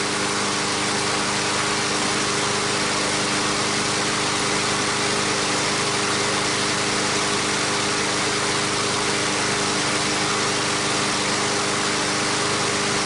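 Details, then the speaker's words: Brand-new Briggs and Stratton 500 mower engine after freeing a no-start seized engine, cold start then about 10 minutes running as assembly-lube smoke clears: constant, even hum at one steady pitch, no knocks or misses; normal running. "it's been about 10 minutes the smoke has cleared this mower is ready to go back in service"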